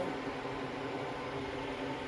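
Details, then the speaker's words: Refrigerator condenser fan test run after fitting a new motor to the old fan blade, wired up before reassembly: steady, even whoosh of moving air with faint motor hum, no ticking or scraping, normal fan running. "It's gonna go in there. It's gonna go. That's my test run, so I know it works."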